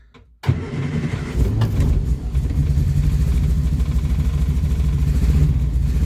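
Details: Morris Minor with new ignition barrel, on jump pack, neutral, bit of choke, fuel pump heard: brief cranking, then catches and settles into steady, even low idle, no knocks or misses.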